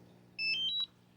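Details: DJI Mavic Mini controller in a quiet room gives three clean stepped power-on beeps under half a second, no repeating alarm; it had a constant "beep of death" and would not charge before the owner's fix; normal power-on beep.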